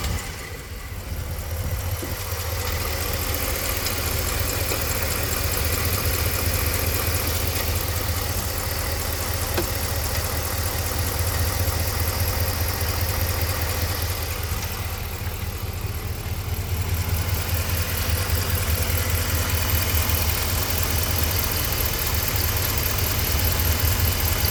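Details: 2014 Ram 1500 5.7 Hemi V8 idling with a deep rumble and a light, fairly regular tick; cause unknown to owner, BBK shorty headers installed so not the stock manifold.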